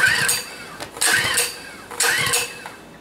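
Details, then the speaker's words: Small engine cold start at about minus 16, gas and choke on: three hard pulls about a second apart, each a short rasp and cough that dies at once; owner suspects cold or fuel flow. Cold no-start. "Well, that doesn't sound good. I don't know, that's not good. Too cold maybe. That's really hard pull."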